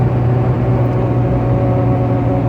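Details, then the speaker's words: 2004 Nissan Xterra at highway speed: a steady low buzzing "fart" drone over road rumble. The gaskets on the roof and under the roof-mounted deflector shield separated, leaving a small air gap. Wind noise from an air leak at the deflector gasket. "the gasket on the roof and the gasket on the bottom of the shield have separated and is allowing a very small air gap and the wind is just going in and making that horrible fart noise"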